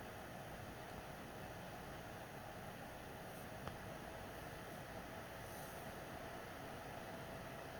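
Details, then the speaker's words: PS4 Pro, first-gen 7015B with copper shim and new pads on south bridge and HDMI-area chip vs dust-cleaned third-gen 7215B; during regular gameplay after a taxing cutscene, fan noise drops a lot; soft steady low airy hum, no whoosh or rattle: normal fan noise. "once you do the regular game play on this game the The Fan noise goes down a lot so that's really the only part where it's very taxing"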